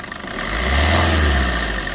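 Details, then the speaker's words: 2016 Maruti Swift Dzire VDI diesel, 77,200 km odometer (107,000 km also stated), very black engine oil, short rev: rises smoothly and settles back, even clatter with no knocks or rattles; engine sounds smooth and healthy. "సరే , మీరు చూస్తున్నట్లుగా, engine శబ్దం చాలా మృదువుగా ఉంది మరియు ఎటువంటి అసాధారణ శబ్దాలు లేదా పెద్ద శబ్దాలు లేవు."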